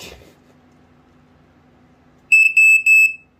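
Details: Black & Decker SMK 6D/M3 alarm test: three loud, shrill beeps in about a second over a quiet room; the alarm sounds properly and is working.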